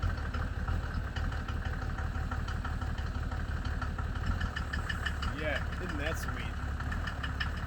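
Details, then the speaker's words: 1987 Mercedes W124 turbo diesel, 150k miles, cold start with smoke that clears once warm: rapid clatter about three knocks a second over a low rumble; other owners suspect the first fuel injector knocking hard, unconfirmed. "you can hear the hard knock i've i've discussed this with a couple of other mercedes owners and they seem to think it's the first fuel injector kind of knocking really hard"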